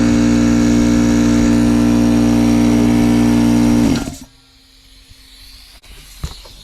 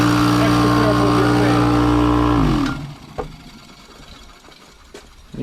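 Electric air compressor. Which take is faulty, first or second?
second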